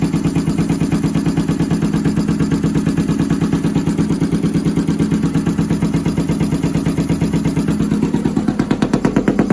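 Steady twin idle with a lumpy, uneven pulse about three beats a second; one cylinder seems to be dropping out, a misfire.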